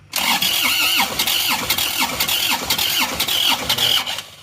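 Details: Car towed in from the toll road: the starter spins the engine evenly at about two beats a second for four seconds, but it never fires. Mechanic suspects compression is leaking through, not confirmed.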